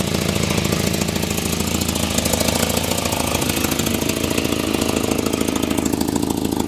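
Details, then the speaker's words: 1984 Volvo 245 parts car, 91,000 miles, at idle after start: fast, sharp ticking puff on every firing pulse, evenly spaced; exhaust leak, manifold suspected; no blow-by seen. "Oh, recent oil? That's an exhaust leak."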